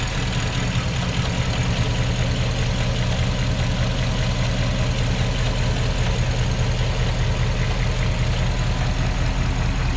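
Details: Porsche Cayenne Turbo 957, cold engine at idle: deep, heavy idle with a fast pulsing drone underneath; abnormal cold-start noise, cause not known.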